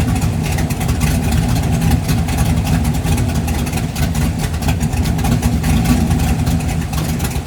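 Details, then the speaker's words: 1988 Ford Mustang LX 5.0 V8 fox-body budget drag car, briefly run after a home-welded exhaust redo: deep, loud V8 burble with a steady lumpy pulse and strong low rumble, no knocks; healthy engine, just a loud exhaust. "oing to fire it up and run it for a second and see how it sounds. It's going to be loud as hell."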